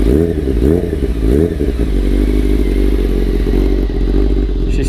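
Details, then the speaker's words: Restored 1995 Honda CBR600F3, largely rebuilt engine, about 30 years old, still warming up before first test ride: loud deep even idle with steady pulse, racy noisy exhaust, no knocks or rattles; normal warm-up. "as you guys can hear still warming up a little bit she is definitely a noisy bike um sounds like it's a race bike for sure"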